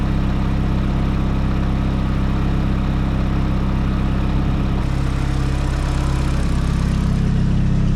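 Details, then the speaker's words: Nissan S15 SR20 after T28 Garrett turbo gasket replacement following a track day; steady, even idle hum with no ticking or puffing, exhaust leak gone, engine sounds normal and quiet. "No more exhaust leak. Sound normal again, chill, quiet."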